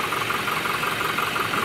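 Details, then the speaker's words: 2019 Toyota Hilux 2GD diesel engine after timing chain repair: even diesel clatter at idle with light steady tick, no chain rattle; the engine noise is gone, running normally. "so kita natin na binalik na natin yan lahat so yung ingay sa loob ng engine ay wala na"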